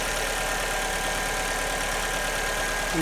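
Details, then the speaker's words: 2002 Alfa Romeo 147 2.0 Twin Spark after repair of a misfire at idle and under acceleration: steady, even idle hum with no stumble; compression was fine and the cause was an intermittent coil, replaced along with the plug. "Okay, there we go. Purring like a kitten."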